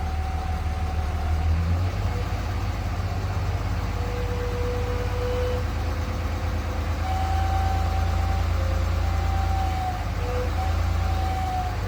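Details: 3rd gen Ram Cummins diesel idling with a deep rumble and a thin, wavering howl above it; owner suspected turbo or fan clutch, but stethoscope traced it to a bad alternator bearing.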